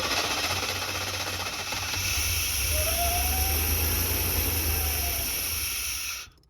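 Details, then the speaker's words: Chevy G20 conversion van after a hard run, wouldn't idle down: rough, choppy running at about four pulses a second that won't settle and then cuts out; injectors on both sides spraying massive fuel, flooding it out. "I mean, it's just completely flooding it out. It's got so much gas in it. It'll run like this for a second."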